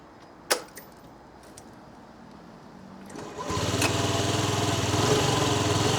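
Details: Old Honda Dio 50cc two-stroke scooter, just fitted with a new battery after the dead one only clicked: a click, a short crank, then it catches and settles into a steady, even idle with no misses; normal start and idle.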